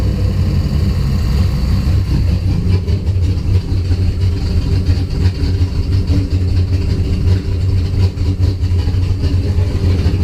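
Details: Deep idle rumble that lurches and dips unevenly. Coil spark was restored by moving the wiring loom. Fuel pressure was 50 after prime and over 60 during prime. The engine sneezes fuel and runs really rich, with healthy cranking; the cause is unconfirmed.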